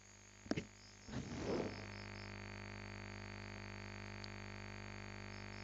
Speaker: now I'll take out the power cable no noise quite interesting and now I take the power cable back in and the noise comes back